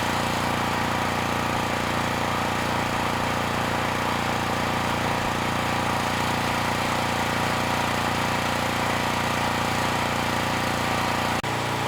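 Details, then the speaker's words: Generac GP5500 generator engine under about 2,500 W load. A steady, even drone pitched a bit low, as if lugging, running slower than the expected 60 Hz. "Let's try another 500. Yeah, it sounds like it's slowing down a little bit too much."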